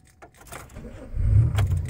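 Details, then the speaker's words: 2005 Chevrolet Impala, check engine light on: key rattle, then the engine catches and runs rough and uneven; it sputters only when restarted within a minute or so after driving, cause not yet found. "if you've listened closely you'll hear the car sputtering and it only does that when I start the car and drive it then turn the car off and turn it back on in the next minute or so"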